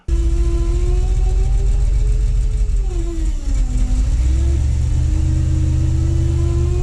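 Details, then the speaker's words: International 1210 with FiTech EFI swap, starts fine then stumbles and dies, fault codes 105, 74 and possibly 36: steady engine note sags and drops in speed, then recovers unevenly; rough running and stumbling, cause not yet found. "so I started having an issue with the phytek in the 1210 International if you've seen the other videos you know the with the swap the running it's been great and then suddenly I started having these issues like this"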